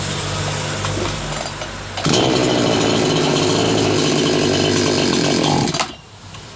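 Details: Small two-stroke that had been misfiring, after spark plug replacement: revs up hard, holds a steady even high-speed buzz about four seconds, then drops back; normal running.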